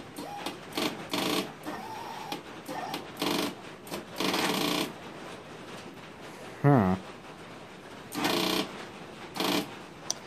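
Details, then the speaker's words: 1992 Yamaha Timberwolf ATV after battery replacement: short bursts of fast chattering clicks each time start is pressed, no crank; sound never heard before, owner suspects dead battery or possibly stator, unconfirmed. "know what that sound is but that does not sound good to me this thing's never made that sound it almost sounds like the battery is dead"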